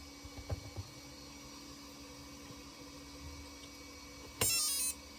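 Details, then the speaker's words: Castle 1650 motor ESC on custom 8S Infraction V2 RC car, after swapping suspect 8mm bullet connectors (losing signal, possibly incompatible copper/brass) for Poseidon bullets: clean half-second high-pitched startup beep burst, normal power-up. "Everything sounds good so far. I'll be damned. Those connectors were either cheap or not compatible with Castle."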